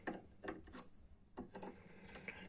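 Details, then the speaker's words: Seagate drive from a Silicon Power Diamond D30 external case, previously opened: faint ticks and twitches about twice a second with no spin-up whine; spindle motor jams, burned out. "вот он жестко идет и его клинит это двигатель сгорел"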